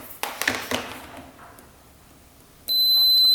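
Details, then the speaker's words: 2009 Yamaha Grizzly 550 ATV, fuse check for a no-start; a single clean, high-pitched continuity beep from the tester shows the fuse is good. "All right, we hear a beep. We know the fuse is good."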